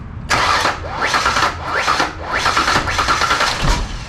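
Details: Rebuilt Ford Ranger 4.0, next morning after a pop and disconnecting the battery: repeated one-second cranking bursts, even compression beats, no start. Spark and fuel confirmed, fuel vapor from intake; valve-train damage feared, unconfirmed.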